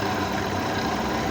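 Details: Suzuki Mehran Euro 2013 at idle, wooden stick held on the AC compressor bearing as a stethoscope: only a smooth steady hum comes through; the bearing is quiet and not the noise source.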